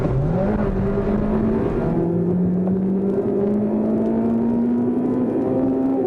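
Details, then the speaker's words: Honda Type R 2-litre i-VTEC engine revving to about 8,000 rpm, changing onto high cam lobes around 5,800: smooth, clean note climbs steadily, dips at a gear change, then pulls hard again; healthy. "There are few cars on the road that sound as sweet as a 2-litre VTEC engine like this at 8,000 RPM."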